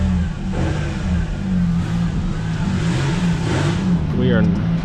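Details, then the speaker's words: 2002 Ford Ranger after coil pack, spark plug and wire replacement: steady, even low idle rumble with no stumble or shake, firing on all cylinders; earlier misfire gone, check engine light still on from misfire. "that shake is gone we are not misfiring anymore which is great those plugs are doing awesome hear how smooth she's purring now"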